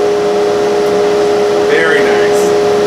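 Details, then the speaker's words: Harbor Freight Central Machinery dust collector whose motor seized, bearings freed and oiled: steady fan roar with strong constant mid-pitched hum; worn, failing front output-shaft motor bearing, to be replaced with SKF bearings. "the motor seized up and and the bearings were locked up so I freed them up I put oil on it but now it sounds which is terrible"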